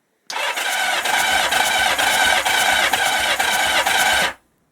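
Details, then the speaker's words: 1977 Kawasaki KZ650 B1 after fitting a different battery: brisk, even cranking about two turns a second, much faster than the earlier sluggish cranking. The old battery is likely the fault. Normal starter cranking. "that is a lot faster so it is possible that was probably a fault"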